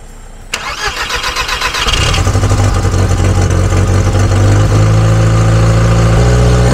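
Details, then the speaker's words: VW Golf restarts fine, catches and idles with a fast, steady puffing tick; there is still an exhaust leak, either a broken manifold or the exhaust line. "bon les gars comme vous avez pu le voir la Golf redémarre sans trop de problème le problème c'est qu' a encore une fuite d'échappement donc soit c'est le collecteur qui est pété soit c'est la ligne mais il y a un problème"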